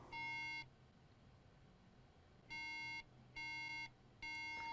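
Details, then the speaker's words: MacBook Air that will not power on, with RAM integrated on the motherboard. At power-on, three clear half-second beeps repeat, a RAM fault code (bad chip or cracked solder suspected): three-beep RAM error. "customer said the laptop is not powering on and it's making three beeps"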